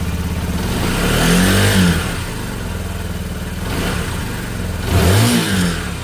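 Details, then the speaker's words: Lexmoto Isca 125 after wiring repair and fuel pump reassembly, revved and held: revs rise and sag in waves about every two seconds instead of holding steady. Surging and bogging under held throttle; owner suspects the throttle position sensor, not confirmed. "come around here I'll show you you have a look at the the dashboard the Das when we rev it and hold it that's a problem"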